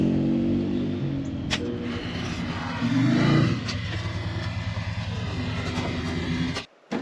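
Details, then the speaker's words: 2003 Polaris Sportsman 400 ATV on a test ride after valve adjustment, timing and final assembly; the single-cylinder thrum rises and falls smoothly with throttle under load, with no knocking or misfire; starts and runs great, normal running. "Everything's working great. This thing starts up great, runs great."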